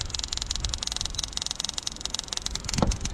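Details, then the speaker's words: Jeep Renegade 2.4 2015 with misfire, ignition coil spark test with widened gap: irregular snapping sparks with skips and crackle, cylinder 4 coil broken down internally, arcing through itself; to be replaced. "бьёт нестабильно пропускает потрескивает в этой области прошитый прошита катушка сама себя пробивает"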